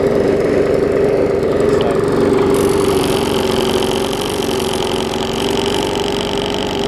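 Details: Bolens 21-inch push mower, Briggs & Stratton 500 series single-cylinder, built April 2012: uneven, lumpy beat near four pulses a second with shaky rattling undertone, vibrating, barely usable; internal damage and bent shaft suspected.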